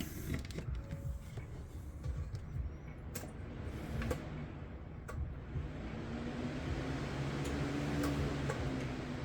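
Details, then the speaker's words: Small fan plugged into a regular 120 V wall outlet runs with a soft, even airy whoosh and no hum, unlike its loud hum on a Ryobi 120 W inverter. "Oh wait, I had it at a slow setting, but if you can hear this, this is a regular sound on a 120 volts regular outlet. No humming. No humming noise."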